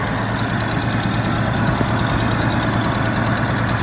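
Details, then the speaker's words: Nissan Skyline R31 wagon with newly installed turbo, first start after install: steady idle with a hissing, puffing rasp from a bad exhaust leak that seems to come from down low near the downpipe joint. "Sounds like it's got a mean exhaust leak. Idling alright. Man, that's a bad exhaust leak. Feels like it's coming out from down there."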